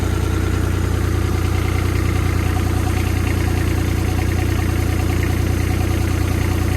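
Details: Develon excavator after new hydraulic pump and valve slice fitted: steady even diesel idle with a deep regular beat, no grinding or knocking; sounds okay so far, some drips being checked.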